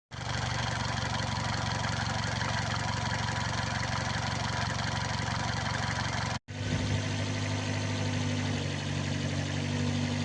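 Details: 2004 Toyota Avensis T25 1.8 petrol, also on LPG, idling: an extra mechanical hum over an even drone, the same cold or hot and louder under hard load; suspected timing chain tensioner, clutch release bearing, belt tensioner or water pump, unconfirmed.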